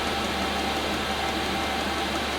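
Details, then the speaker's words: Chinese eBay diesel heater under the sofa in a camper van, kicking in: smooth even rushing hiss with low steady hum, gradually getting noisier, no knocks or surging; normal running. "it's kicking in enough [Music] it keeps getting gradually noisier and noisier"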